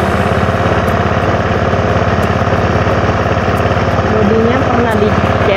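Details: Honda Scoopy 2011 scooter, original unmodified engine never taken apart, electric-started: steady, even single-cylinder putter at idle with no knocks or rattles; engine sounds healthy and settled, normal idle.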